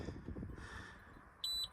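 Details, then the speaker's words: EGO Power+ T6 TR4204 42-inch 56V fully electric riding mower, left out in heavy rain overnight, powered on with the brake applied and the button held 3 seconds: one clear high beep of about a fifth of a second, system ready. "First thing you should know is once you get on it, you got to apply the brake over here and then hold this button down for 3 seconds"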